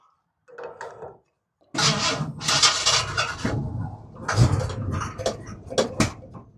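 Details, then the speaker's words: 1964 Ford F100 after old lawnmower fuel was added to the tank: starter cranks in uneven bursts and the engine fires a few ragged times without catching; it soon ran smooth, and the owner thinks it was just out of gas. "Oh, we got a little bit more that time."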